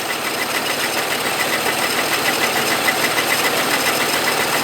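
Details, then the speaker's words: 1950 Plymouth old six, revived after a stuck engine was freed years ago with valves and head gasket never done, cold start then running: even, light idle patter about three to four beats a second, no knock or miss, runs well. "not bad eh you don't care at all do [Music] you listen to that it's just it runs so [Music] well"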